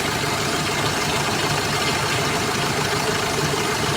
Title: paano nalaman Ang sira na alternator bearing